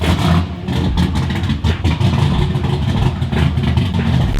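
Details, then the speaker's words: Turbo Ecotec race engine, estimated 480–520 hp on about 16 lb boost: loud, choppy, lumpy idle with heavy low-end thump and rough lope from aggressive setup. "and listen to that that sounds nuts holy sh F [Music] lumpy holy moly"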